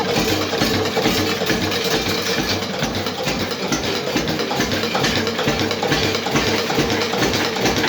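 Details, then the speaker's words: Witte single-cylinder diesel engine, back running after timing advance adjustment: slow, even thump about two beats a second with no misses or knocks; normal smooth idle, nicest it has ever run. "that is the nicest that things ever run"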